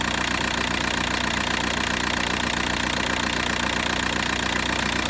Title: VW Bora 1.9 TDI ARL - engine shaking with strange sound